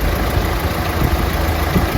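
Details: Opel Astra J automatic after transmission repair (radiator leak let water into ATF; clutch/friction set replaced, solenoid valves and valve body cleaned, gearbox washed): even steady low idle rumble, no knocks, misses or hunting; running normally after repair.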